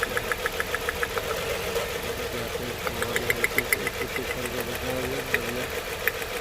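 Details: Nissan Murano V6 with cylinders 3 and 4 dead at idle: stumbling idle with uneven knocks and dips; ignition coil tested good, plugs to be checked next, injector or engine fault possible, cause not confirmed.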